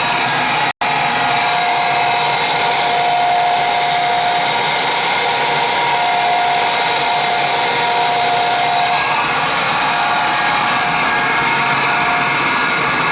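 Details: Oil-fired boiler burner that wouldn't fire up: steady hollow whir with thin tone fading, never reaching full speed; technician says pump could be bad but suspects worn burner motor, not spinning up enough.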